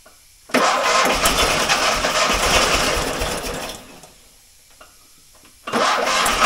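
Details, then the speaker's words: Fiat 126 barn find, stood many years, fuel hose from tank blocked: engine bursts into ragged run about three seconds, fades, fires again, won't keep running on brake cleaner; fuel pump not pumping, diaphragms likely at fault. "Det var ju steg ett, och det var ju bra. Han går ju uppenbarligen på startgas, eller ja, bromsrengöring. Pumpen han pumpar inte, förmodligen så är membran"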